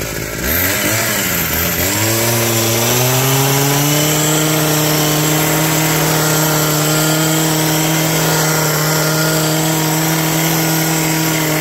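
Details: Old two-stroke hedge trimmer revived with on-hand parts, new cut air filter fitted, mixture screws not yet reset, cutting bush: revs climb quickly then hold steady high pitch, no misses; noisy, vibrates a lot, blade dull, runs healthy.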